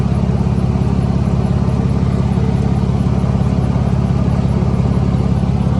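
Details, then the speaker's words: 2009 Mercedes-Benz C300 Sport W204, 6-speed manual, idling: loud regular chuffing puff about twice a second in the low end; exhaust leak, piping found cracked and broken off underneath. "all right so listen i got an exhaust leak i'm trying to fix it but i need to figure out what type of exhaust leak it is"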